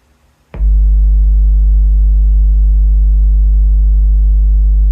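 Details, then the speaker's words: DIY bass reflex speaker (RCA STS-1230 project, Dayton Designer Series woofer) with the port resized per Parts Express recommendation, playing a 50 Hz sweep. A pure, steady low hum with no chuffing, flutter or rattle: a clean port tone. "Yeah, no funky noise at all."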